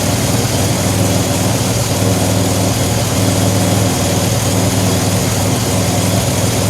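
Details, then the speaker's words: 2007 Pontiac Grand Prix with ZZP XPZ cam after timing chain correction, 50 psi fuel pressure, warming toward temperature, no gasket yet at exhaust flange; steady deep even idle, no misses or knocks; running great. "She's running great."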